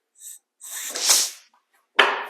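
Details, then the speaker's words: Lincoln Speedster 16-valve engine, previously stuck valves freed, transmission fluid in cylinders, no starter: hand-cranked field compression test with primer cups open gives sharp hissing puffs per stroke, fluid mist spraying; good compression. "Well, this engine definitely has compression because I had transmission fluid I'd put down all these cylinders."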